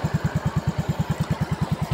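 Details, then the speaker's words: Yamaha Mio i125S scooter after an overhaul that replaced both crankshaft bearings: an even single-cylinder putt at about nine beats a second, with no knocking or rattle. The engine is now quiet, starts on one click and idles normally. "So okay na yung kanyang tunog, tahimik na, sarap sa tenga pakinggan. Tahimik mga paps."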